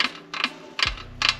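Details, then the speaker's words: Restored Foxbody Mustang pedal assembly with hydroboost conversion brake pedal, worked by hand: four short, sharp light clicks with quiet between. A worn pivot washer is the likely cause, and the owner plans to replace it. "And the brake pedal. Of course, I do want to replace that washer though. There's a little bit of,"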